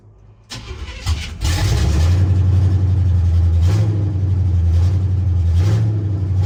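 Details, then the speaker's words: 1976 Chevy C10 small-block 350 after swapping from a 2-barrel to a 4-barrel intake and carburetor; fires quickly into a deep, steady lope, estimated 800–900 rpm, running on all eight with no misses or knocks; normal idle. "so yeah sounds really good running on an all eight uh the idle it's pretty decent"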